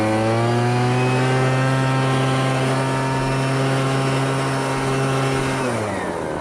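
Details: MTD Bolens BL125 two-stroke leaf blower after carburetor repair and adjustment for no-start and bogging: steady high buzzing note holding even revs without stumbling, then easing down smoothly; runs clean and strong, dialed in.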